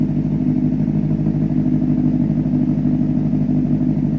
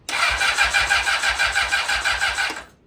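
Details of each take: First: Rebuilt 2004 Honda CBR600RR, 10,882 miles, running warm at about 160°, still smoking a little; steady, even idle with a smooth low exhaust beat and no knocks, ticks or misses: normal idle. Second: Rebuilt blown-up Honda CBR600RR, first start attempt without coolant, fuel tank temporarily placed; steady fast cranking about three turns a second with no firing, sounds like it isn't getting gas: crank no start (no fuel delivery).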